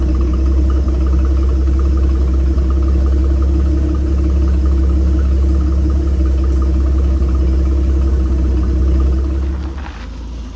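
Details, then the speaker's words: 1976 Chevy C10 pickup with a 250 inline-six, 3-speed manual and 50,000 original miles: a low, even rumble with a steady beat after the idle mixture screw was adjusted with a screwdriver. The rough idle is smoothed out and it now idles normally. "And this truck's not idling smoothest, so we're going to adjust the idle mixture screw here. I can lot there, you can hear it just smoothing it out."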